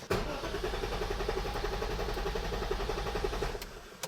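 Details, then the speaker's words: BMW E34 with Metric Mechanic 3.7 L stroker M30 engine, just fitted with a plug-and-play standalone ECU running a base tune: steady, even cranking about four turns a second for over three seconds, no catch; cranks but won't start. "All right. Well, it'd be cool if it would fire up at all."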